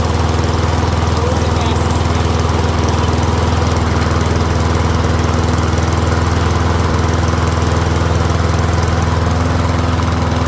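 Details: Troy-Bilt rear-wheel-drive mower with Briggs & Stratton engine, after ultrasonic carb cleaning, warmed up with faint smoke clearing: steady, even single-cylinder beat at working speed, no misses or knocks; running healthy.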